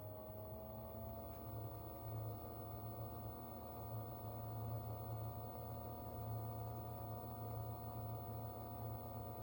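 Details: Barrow SPB17 DDC pump at 100% speed, mic about 30 cm away in open PC case: steady even hum with smooth mid-pitched whine, no knocks or rattles, running normally.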